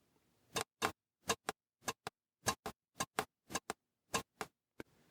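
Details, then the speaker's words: Mercedes 560SL KE-Jetronic idle speed control valve bench-tested with a 9 V battery across it: crisp clicks in quick pairs, about a dozen in five seconds; the valve snaps freely and is not stuck. "so you know that your your valve's not stuck so that's one test that you can do simple 9vt battery"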